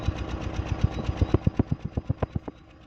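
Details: Suzuki Swift 1.3 engine idling unevenly, about eight thumps a second with some beats louder: misfire, attributed to moisture from a strong water jet.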